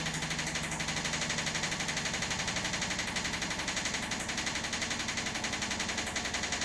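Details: Washing machine on spin: heavy rhythmic thumping, about four per second, from the chassis flexing and cracking at the shock absorber mounts. The shockers are not the source of the noise.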